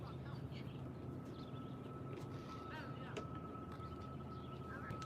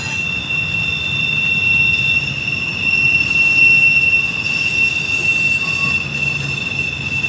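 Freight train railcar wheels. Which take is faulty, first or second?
second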